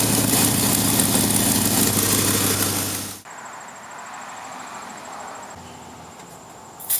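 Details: 2006 Jeep Grand Cherokee 4.7L V8, before repair: loud, raspy running with a steady rapid puff, then quieter; fits a suspected exhaust manifold leak, not confirmed.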